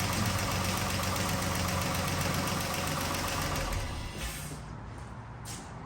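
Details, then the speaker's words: 2012 Chrysler 300 3.6L before repair: crisp regular ticking about four per second over idle until shutdown; worn rocker follower roller bearing on back cylinder intake cam, which it chewed badly, needing a cam. "Now, it can be the actual rocker follower with the little bearing that gives out, which is what I see most of. Little bearing in here."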